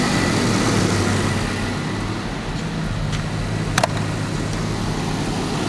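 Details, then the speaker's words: 1982 Jaguar XJS V12, not running, running after fixing timing that was 180 degrees out and backfiring; settles into a steady, even low idle with no misses or knocks; normal idle after repair. "so we got it running let's start it up i win runs good"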